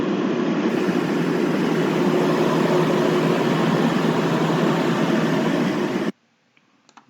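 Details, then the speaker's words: Air handler blower: even, dull low drone like a car engine bay, constant with no squeal, then cuts off; blower bearings wearing out, suspected not confirmed. "저거는 지금 이제 둔탁하게 자동차 엔진 룸처럼 들리는 건 베아링이 나가고 있는 상황이에요"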